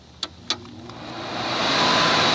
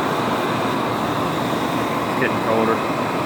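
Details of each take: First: 1978 Kelvinator (Gibson) 7900 BTU window air conditioner, model S208P1QA, Tecumseh compressor: two switch clicks, then a rising, steady loud rush of air; fan noisy on high speed but not on low, cause unknown. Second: 1978 Kelvinator 7900 BTU window air conditioner, model S208P1QA, Tecumseh compressor, on high fan and blowing cold: steady, even blower rush over a low compressor hum, then quieter; normal running.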